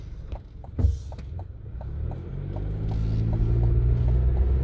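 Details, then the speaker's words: 2023 Chevy Colorado Trail Boss on brand-new 33-inch mud-terrain tires, night drive: low steady drone building with speed; normal new-tire hum expected to soften as they break in. "I hear the tires yeah that low hum they're brand new though so they probably got to kind of break them in a little bit"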